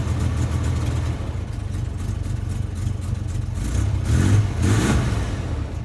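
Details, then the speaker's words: Chevy S10 truck after carburetor work, with electric fuel pumps: a deep, uneven drone that surges and sags with a ragged beat, running rough and spitting; a gas leak was then found. "oh she's spitting this butter here"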